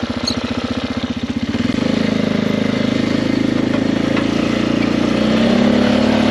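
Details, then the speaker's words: 2005 Polaris Sportsman 400 4x4 plow ATV at wide open throttle in 2x4; drone stutters and pulses as if hitting the rev limiter, breaking up with low speed; fine when throttled gradually, and the carburetor is suspected but not confirmed. "you hear that breaking up pretty good all right so as you can see I was going Full Throttle all the way down and so almost like it's bouncing off the rev limiter it's not going as fast as it should"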